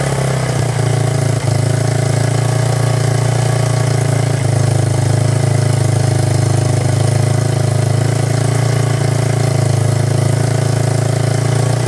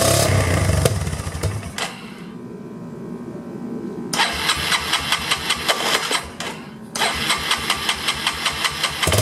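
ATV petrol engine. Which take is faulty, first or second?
first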